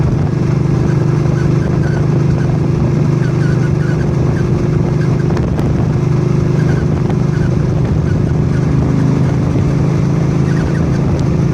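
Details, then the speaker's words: 2006 Suzuki C50 motorcycle droning at steady speed, with faint, short, high chirps coming and going, starting around 75-80 km/h; progressively worse over a few days, origin not pinpointed. "Okay, there's a nasty chirp to the bike that starts around 75-80 kilometers an hour, and it's around 30 miles per hour."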